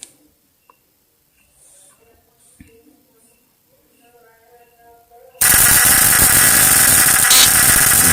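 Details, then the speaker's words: Modified Shinsau contact-breaker points in a homemade fish-shocker; after quiet start a harsh, even rasping buzz holds steady, sound getting clearer under load; points chattering cleanly, normal. "beban semakin dikasih beban suaranya akan semakin jernih itu bagus"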